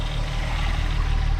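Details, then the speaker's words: 2001 US-spec VW Jetta VR6 wagon idling: a deep, even low thrum with a steady pulse and no misses or ticking; normal, nice idle. "Idle's pretty nice. Oh, that nice VR sound."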